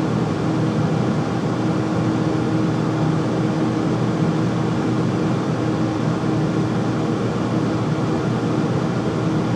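Loud, steady roar with a constant hum tone and no knocks or rhythm changes, the furnace running noisily, cause not identified.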